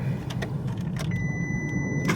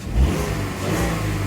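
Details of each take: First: Mk4 VW Golf after an aftermarket coil was fitted and codes reset: it cranks, catches, then idles lumpy with an irregular stumble; the misfire continues, first with no codes, then the engine light comes on, pointing to an ignition coil misfire. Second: Mk4 VW Golf restarted after fixing a cylinder misfire, with new spark plugs; the engine revs cleanly and evenly with no stumble or miss, and the fault codes then clear.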